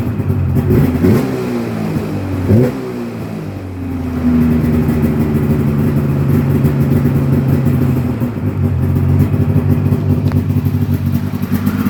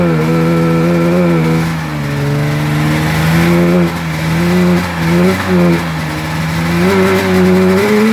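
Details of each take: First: 1996 Polaris XCR 440 Special snowmobile revived with EFI, 500 twin with XCR pipe, without the correct skid; fires right up, crisp two-stroke idle with very snappy, clean throttle blips, runs well. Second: 1996 Polaris XCR 440 Special twin two-stroke, EC45 PL8 engine fitted with 38 mm carbs instead of correct 34 mm: revs waver, surge and sag without settling, ran like crap; poor running from oversized carburetors.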